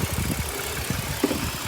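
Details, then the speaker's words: 2004 BMW 530 running extremely lean on both banks stumbles at idle. The DISA valve is sucking in air; soapy water sprayed there gets drawn in and makes it run worse, confirming the vacuum leak. "this disavowed right here got soapy water that's the disavow here is sucking in and you can see it running worse"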